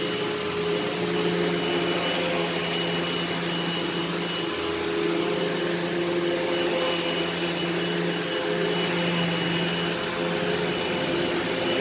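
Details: Eureka SmartVac 4870 upright vacuum rebuilt from two broken machines, running on high-carpet setting: steady, even motor whir at constant pitch, no knocks or grinding; normal running, though the belt later seems to slip slightly.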